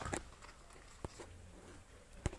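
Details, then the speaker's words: Sliding window after repair (removed by lifting about 1 cm, then reinstalled without pressing the glass) now runs with a quiet, even low rolling sound and only a few isolated bumps; the earlier "taca taca" squeaking noise is gone. "sí, ya corre normalmente. Ya no hace el sonido de taca taca taca taca taca taca. Ahora sí está bien."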